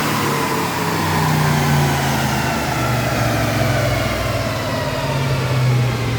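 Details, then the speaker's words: 1986 Ford Mustang with swapped used 302 V8 on dyno rollers, timing advanced: loud deep steady roar climbing with revs under heavy load, no knocks or misses; pulling cleanly. "So now we are bumping up the timing, you see, and we're actually going to rev it out to 5,000 RPM the next time."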